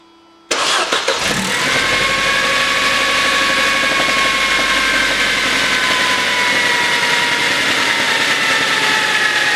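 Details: Engine knock on a Mercedes W203 with the M271.946 engine, serpentine belt removed to exclude other noises: it catches into a fast, busy idle with a light, rapid knocking underneath. Source undetermined.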